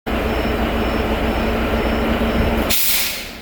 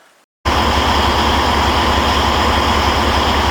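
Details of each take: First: Heavy-duty truck's diesel runs steadily, then the new pop-off valve/air dryer (replaced because it was snorting every 10-15 seconds) purges with a sharp air blast that trails off at cut-out; no moisture blown from tanks, normal purge. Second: Heavy-duty truck diesel idling steadily, then a sharp hissing blast of air near the end. The pop-off valve/air dryer is purging every 10–15 seconds ("snorting"); the dryer is about to be replaced.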